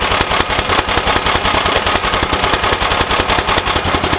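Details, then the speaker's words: Off-road go-kart with a 13 hp 389cc small engine, first start after sitting 6–7 years, carburetor had been leaking: loud fast clatter with a sharp metallic tap at start-up; an internal knock, source unknown. "But yeah, I don't know what the knocking is."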